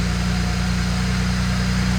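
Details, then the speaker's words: BMW E91 335i, first start of its newly fitted replacement N54 engine after spacing the starter to stop flywheel grinding; smooth, even low idle hum, steady firing, no ticks, knocks or misses; healthy. "Sorry for the facial expressions there, but oh my god, it sounds [ __ ] mint."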